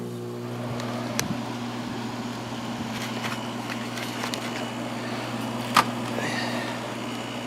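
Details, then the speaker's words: White Westinghouse window air conditioner, cleaned and stored since last summer, first start-up on high fan speed. Low steady motor hum under a soft even fan rush with a couple of stray clicks; really quiet, running normally. "Yeah, that's high. This thing is really quiet."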